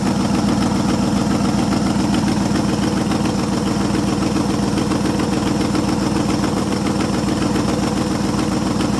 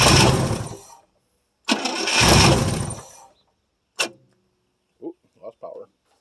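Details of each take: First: 1973 International 1210 2wd 3/4-ton, 345 V8, automatic, two-barrel carb, running after nearly two years sitting, carburetor untouched: steady, even V8 idle, smooth low rumble, no misses or knocks; normal idle. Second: 1973 International 1210 2wd 3/4-ton, 345 V8, automatic, two-barrel carb, unrun nearly two years, cold start with gas poured down the carb: two long cranking bursts with brief stumbles, no catch; no power to the ignition coil.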